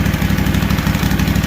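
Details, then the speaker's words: Freshly rebuilt Kawasaki FR730V V-twin in a Cub Cadet SX60, just started, choke being turned off; even, steady low thumping with clean regular beat, no knocks or misses; no fuel or oil leaks. Normal idle. "No fuel leaks, no oil leaks. Sounds good, don't it? Put that choke off."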